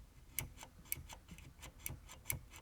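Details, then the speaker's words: Commodore Amiga A1000 keyboard, microphone close to a key: faint sharp ticks roughly three a second, some louder, as the switch keeps clicking on its own intermittently. "Okay, this one keeps clicking. Very strange keyboard."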